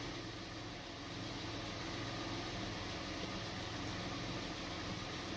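Quiet idle with an uneven, stumbling pulse instead of a smooth beat, the lumpy rhythm of a cylinder misfiring.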